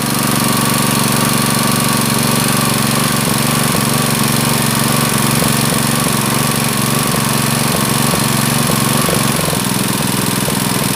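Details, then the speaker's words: Honda GX160 water pump engine with black spark plug and frequent stalling, after carburetor work, held at high rpm to heat and clean combustion chamber: hard rapid slightly uneven chatter over exhaust; still abnormal, carburetor setting suspected. "Okey ya suaranya masih ada yang janggal Menurut saya masih ada yang janggal"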